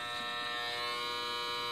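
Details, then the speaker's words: Steady, even electrical buzz at a fixed pitch: normal 110/220 V line hum from the main supply cables feeding an apartment building, recorded in its basement beside 24 Hydro-Québec smart meters plus a service meter. "Ça, c'est un bruit de ligne normale. Tantôt, je l'avais bien syntonisé."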